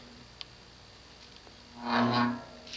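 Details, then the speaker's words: View Fan 36-inch industrial ceiling fan, model V36N-3M WH, 3-speed, made February 1987, new-in-box: low hum swelling into a cyclic rough buzz, a magnetic flux buzz from the rotor misaligned in the stator; fix is opening the motor to reset the rotor, possibly with new bearings. "the cyclic fuzz you hear here is a magnetic flux buzz it's basically the end result it's what happens when the rotor becomes misaligned with the stator it's not dead on center so if something is slightly off it's out of flux you hear that buzz"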